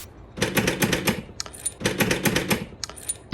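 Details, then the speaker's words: BMW E53 X5 rear tailgate latch after repair: two short bursts of crisp mechanical clicks as it locks then unlocks, the earlier odd clicking gone; normal tailgate lock operation. "well here we go it locks it unlocks it no longer does the weird clicky thing"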